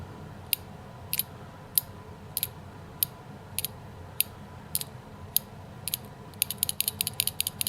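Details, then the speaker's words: Carburetor from a Tecumseh H60 engine on a 1972 Hahn Eclipse snow blower, cleaned, stuck slug by long low-speed needle freed with torch heat and quench, shaken by hand: sharp light clicks about twice a second; slug moves freely, not stuck. "These old adjustable carburetors with this long low-speed needle right here. That long low-speed needle. They have that thing in there that needs to be free."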